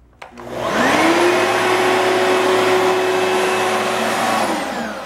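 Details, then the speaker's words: Oreck LW100 magnesium vacuum after fixing a start-then-shutoff fault, where string jammed the brush roll bearing and the brush roll was replaced. Motor winds up quickly to a loud steady whine and holds it evenly without bogging or stalling. It now runs normally. "I guess it's working now right cuz it's even moving now yeah so that piece was defective over there got some string in that bearing and it wouldn't allow it to spin"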